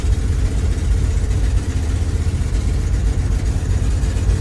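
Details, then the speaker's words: 1982 International 1624 tow truck, 345 small-block V8, 4-speed, driving 300 km home: deep uneven rumble surging and sagging, popping and banging, struggling past 60 km/h, bogging and down on power; owner suspects snow in the carburetor or needing more timing. "60k struggling to go any faster popping and banging everybody"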